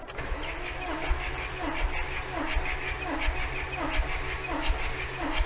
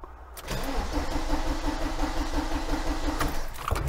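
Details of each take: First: 1987 VW T3 camper with TDI diesel, cold engine, fuel cutoff solenoid disconnected, compression test on cylinder one: steady cranking with even pulses about 86 per minute, no dropouts; about 380 psi, just shy of 400, good compression. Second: 1987 VW T3 camper with TDI diesel after compression test, fuel pipes refitted: starter turns the engine steadily about three times a second but it never catches, because the fuel cutoff solenoid was left disconnected.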